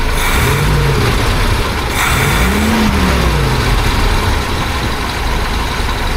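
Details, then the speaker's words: 1976 BMW 2002 (E10), re-jetted Weber carburetor, getting fairly warm: steady low idle with a brief rise in revs, even firing, no misses, sounds pretty nice; a noise up top is suspected to be the air pump; normal idle. "Anyway, I got to go back here and check on this end of the world. Yeah, it sounds pretty nice."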